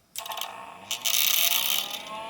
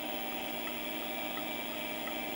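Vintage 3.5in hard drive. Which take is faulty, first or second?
first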